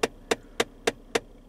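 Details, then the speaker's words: 2015 Ford Fiesta, front vents selected: sharp regular clicks about three and a half per second from behind the dash; failing recirculation (air inlet) door actuator skipping, not the distribution actuator. "every time that we got to the front vents just the front vents like this it would start clicking like that obnoxiously"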